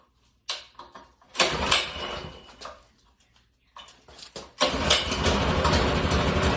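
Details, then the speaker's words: Minibike after swapping the 196cc engine for a Predator 212, start with choke on and garage open: a few sputtering catches, then a steady, even single-cylinder putter, smooth and quiet with stock exhaust, nothing knocking or missing; normal idle. "Y'all hear how smooth this idling and how quiet it is? I can't, like, I drilled holes in my other exhaust, bro. I forgot how quiet these things really are."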